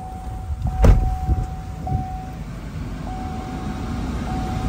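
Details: 2016 Chevy Tahoe; short crank, instant catch, no dash warning lights, then a steady low even idle with a soft chime pinging, running smoothly.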